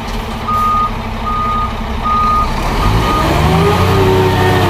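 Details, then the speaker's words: Scania P410 truck with diesel running: steady high beep in even on-off pulses, the inter-wheel differential lock warning alarm, which stops when switched off. "Nah itu alarm yang bunyi itu alarm interview ya Coba kita matikan nah Inter Wheel alarmnya mati ya"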